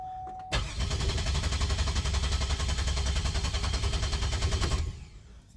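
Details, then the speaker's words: 2005 Pontiac Grand Prix, 211,000 miles, misfire code with no cylinder identified, cranked in clear-flood mode without firing: steady, even cranking for about four seconds indicating good compression. "All right. Sounds good as far as compression. That's a very good sign."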